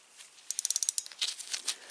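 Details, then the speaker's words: Shimano freewheel hub after disassembly, cleaning and regreasing: faint, duller pawl clicking in short bursts as it spins. Grease got on the pawls' outer edges and is suspected of muffling the clicks. The hub still locks up properly. "mean i can feel it but i can't hear it because some of the grease i had in there you know when i took it apart i saw it got on the uh outside edge of the paw"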